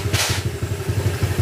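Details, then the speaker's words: Honda Click 150i scooter, 62mm loaded engine returned to stock, valves set 0.10 intake/0.20 exhaust; quick fairly even putter, slightly louder exhaust from the pipe, no metallic rattle left: normal idle. "Medyo iba yung tunugan niya mga sir dahil sa pipe."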